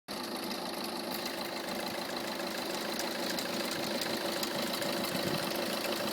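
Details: Peugeot 307 HDi 2.0 90 hp diesel at idle: rapid rattling knock, roughly three per second, over the engine clatter; owner suspects the alternator, its pulley or the tensioner roller, cause not confirmed.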